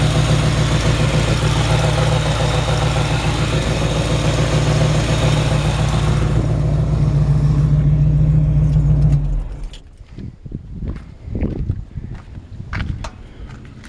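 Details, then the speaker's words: 1973 Camaro, driver-restored, mild rebuild with small cam, headers: steady V8 idle with quick regular puffing tick about three or four per second; suspected exhaust leak at left-side header collector gasket. "Like I said, you can hear that exhaust leak just right here. It's that collector gasket, is what I think it is."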